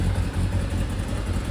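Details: Kawasaki Zephyr 750 four-cylinder, just fitted with new gapped spark plugs after losing spark, briefly settles into an even, steady low idle with no knocks or misses; sounds healthy.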